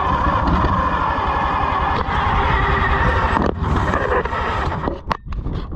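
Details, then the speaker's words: Oliver 70 tractor, first run in many years after a carburetor rebuild: chugs unevenly, beat wandering and dipping; rough, surging running; owner suspects it is not getting enough fuel, cause not confirmed. "okay I still don't know that it's getting enough fuel I think it has to catch up a"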